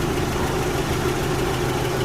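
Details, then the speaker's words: 1990 Nissan Navara Z24S petrol with about 406,000 km, idling after sitting for months: a quiet, steady, even hum with no knocks. It shakes a little at idle but is dead smooth once the accelerator is tapped. "Very quiet for a petrol engine. Shakes a little bit, but as soon as you tap the accelerator, it's like dead smooth."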